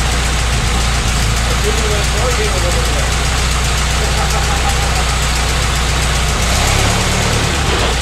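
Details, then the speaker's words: 1925 Ford Model T C Cab, mostly stock with distributor conversion, first run after sitting a couple years: steady, even, unhurried low idle with no knocks or misses, quiet, happier with more spark advance; normal idle. "you know it's actually kind of quiet it is quiet isn't it you can tell if i mess with the advance it oh yeah it's happier for a little more advanced there"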